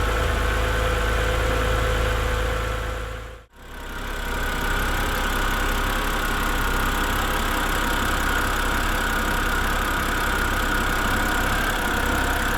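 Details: BMW E90 with an N52 engine and 269,000 miles, on a cold start before an engine flush, Molygen oil change and lifter additive. Cold idle with a quick, even light ticking about three a second over the hum: noisy hydraulic lifters.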